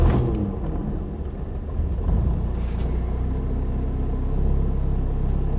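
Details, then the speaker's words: 1982 Ford Escort Mk3 1.3L with automatic choke, started from cold, heard from inside the cabin: low even idle rumble, no knocks or misses, settling steadily; sounds healthy. "sounds pretty good to me we'll let it just take a moment because the windscreens dusty"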